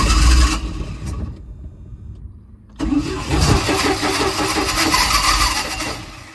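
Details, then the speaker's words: 1987 Bayliner Capri boat engine on a newly fitted Holley Super Sniper 2300 EFI throttle body replacing a carburetor that would not idle. Long labored cranking, then rough uneven firing that never settles; the wrong Super Sniper unit was chosen in the setup wizard. "um something's not right time to troubleshoot"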